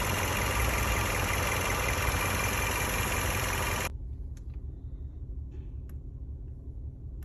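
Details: Toyota Camry AXVH71L with check engine light: rough idle with an uneven stumble about three beats a second, then the engine cuts out; misfire and vibration, addressed by changing spark plugs and cleaning the injectors and throttle body.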